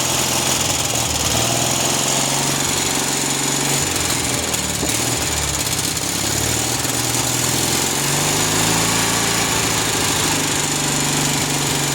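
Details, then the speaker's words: Cub Cadet 1811 M18 twin-cylinder engine running on the bench after starter replacement, block cracked: wavering uneven beat with hunting speed; rough running, carburettor needs adjustment. "so a little bit of carburation work but it's running so shut it off it does run"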